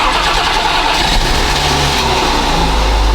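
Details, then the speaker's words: BMW E34 wagon after new fuel pump and replacing dead fuel pump relay: quick crank, catches and settles into steady idle without stumbling; normal start and idle. "fuel pump is in fuel pump works car is on and running holy let's go let's go oh Lord"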